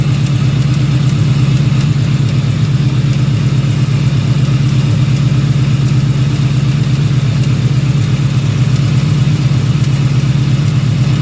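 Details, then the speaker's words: 2018 Ford Mustang GT V8 at idle after sitting a few hours: steady rumble with a faint, regular light ticking/clicking, which the owner hears from the bottom of the engine on the passenger side only, not the driver's side. Owner doubts the bottom end is failing; source unknown. "So I'm hearing like that clicking sound. It sounds like it's coming from the bottom of the engine. It's only on the passenger side."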